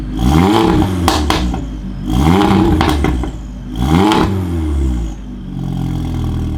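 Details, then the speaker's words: Audi TTS (MK2 8J) with a TTRS low-pressure fuel pump, just after the Torqbye PM4 fuel pump control module install: three quick throttle blips rise and fall, with sharp pops and crackles on overrun as the throttle closes. "it pops that's interesting"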